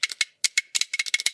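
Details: Nintendo GameCube controller trigger after repair of a mushy L trigger, spring and button reassembled: crisp, even plastic clicks, about a dozen in under two seconds, each with a clean snap; trigger working normally.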